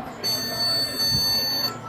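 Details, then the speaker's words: Gigabyte motherboard on power-up gives a single long, high-pitched beep of about one and a half seconds, traced to a faulty RAM module. "apito um bip longo e aí eu descobri o que é vou mostrar aqui para vocês o defeito para vocês consertarem o acontecendo na de vocês vou desligar aqui a placa e eu vou fazer a substituição da memória"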